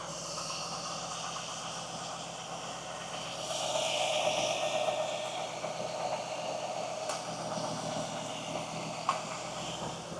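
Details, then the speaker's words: 2000 Chevy Camaro SS (4th gen F-body) after replacing leaking, whining power steering pump and bleeding system, engine idling before closed loop: smooth even idle, soft steady hum, no whine, squeaks or rattles; normal power steering pump at idle. "But yeah, my power steering pump sounds good. Everything feels good."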